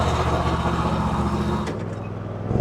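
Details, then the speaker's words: Kohler engine on a Hustler Raptor SD zero-turn mower after a tune-up with new spark plugs, air filter, fuel filter and oil change: it starts right away and settles into a steady, even run with a slight dip near the end, running normally. "fire it up we'll try it out starts right"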